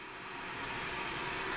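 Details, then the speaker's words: Solar inverter in a tiny house running in float mode, powering an elliptical: a steady airy whoosh with a faint constant hum from the cooling fan, which is noisy but normal. "inverters on you can hear it at noisy fan I'm still in float mode so nothing really to worry about"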